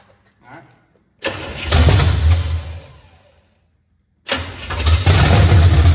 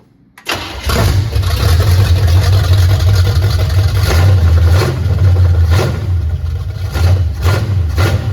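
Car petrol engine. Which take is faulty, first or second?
first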